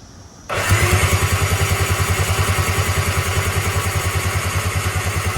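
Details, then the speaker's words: Tigershark PWC jet ski sitting about 15 years, popped e-box breaker reset: starter spins engine in even chug about 200 per minute without firing, squirting out lots of water from the cylinders. "water squirting out. I've been doing that on and off for quite some time, trying to get all this water out. There was a lot more water in here than I thought there was."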